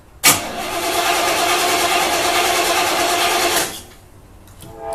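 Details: Olds 350 with RV cam, Edelbrock Performer intake, HEI, new Street Demon 625 cfm carburetor replacing leaking QJet, unstarted two weeks: steady starter cranking about three beats a second to refill fuel bowls; normal cold start.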